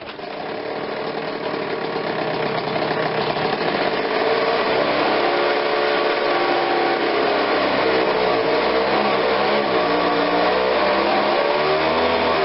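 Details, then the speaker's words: Ryobi 760 CFM two-stroke backpack blower, customer says it runs but falls on its face: thin buzzy note hunts and wavers off choke instead of holding steady; engine bogging without choke, cause not yet confirmed. "so okay so without the choke on it's not really running but it's not horrible"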